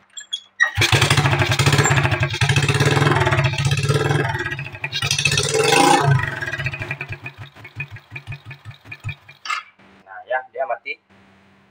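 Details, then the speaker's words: Smash 110 before carburetor adjustment: fires, revs briefly, then beats slow, turn ragged and die after a few seconds, won't hold idle; engine stalls at idle. "ya Nah ya dia mati ya tidak mau nahan untuk langsamnya"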